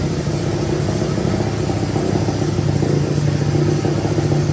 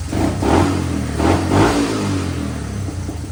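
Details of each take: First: Honda 185S three-wheeler, stock carb ported and converted to E85, O2 sensor in newly welded bung: steady single-cylinder idle with slight rev blip; air-fuel reads about 9–10 at idle versus 14.7 target, mixture far too rich. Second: Honda 185s three-wheeler with a ported stock carb converted to E85, timing fully advanced: the single-cylinder thumper catches, revs in quick blips, then settles to an uneven idle and runs fine.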